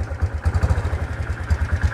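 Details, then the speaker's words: Motorcycle with a custom SND clutch block strut 1 mm longer than stock, on its first start before a test ride. Daytona clutch lining, old MX plates, stock springs, 1500 g balancer, 14-39 gearing, 0.8 L oil. Warming up with a small single thumping evenly at a fast idle, steady and without rattle; sounds fine. "Untuk suaranya aman ya teman-teman, karena ini baru pertama kali hidup kaki ini."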